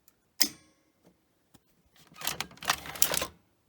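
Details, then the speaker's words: Grundig 2x4 Super V2000 video recorder, power cycled after belt replacement, brake linings missing: one sharp click, faint ticks, then a second-long burst of rapid clicking and rattling as the mechanism tries to load; owner suspects the missing brakes, unconfirmed. "Is that the brakes? Sounds like it, doesn't it?"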